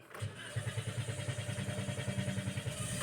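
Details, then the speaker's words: Toyota Vios Dual VVT-i after standing a while: starter churns at about three beats a second for several seconds without catching; long crank as fuel pressure leaks off through a cracked fuel pump housing. "so ayun mga boss kitang-kita niyo yung long cranking talaga ng sasakyan na to"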